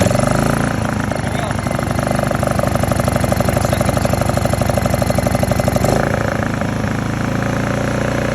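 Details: Honda EU2000i generator after carburettor cleaning (brown gunk in fuel): small engine idles with an uneven, hunting beat around three pulses a second and a slight stumble; idle jet suspected but inaccessible, cause unconfirmed.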